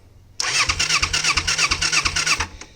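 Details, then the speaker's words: 1988 Kawasaki Ninja 250R, 250cc inline twin, likely unrun since 2007/8, in neutral with choke held on: the starter whirs with even compression beats but never catches. Fuel starvation because the petcock sticks up in the tank, so it needs reserve with low fuel. "I hit the petcock on on and I realized the petcock sticks up in the tank so if the gas isn't above that petcock it won't get any gas"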